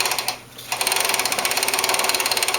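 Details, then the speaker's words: Front-wheel-drive Toro Recycler mower after drive bearing replacement: fast, even ratchet clicking from the freely spinning front wheel is the normal one-way clutch, with no more popping or jamming. "and you can hear the clicking. That clicking is from the one-way clutch, and that's the only sound you should hear."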